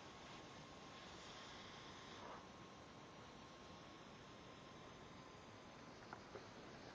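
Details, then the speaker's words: New 1/8" air micro die grinder: faint, steady hiss of escaping air at the hose fitting after tightening a loose gasket, much quieter than before; owner suspects the seal still not fully tight. "there's a small little hissing, but I think I can live with it better than what it was before. It was really bad."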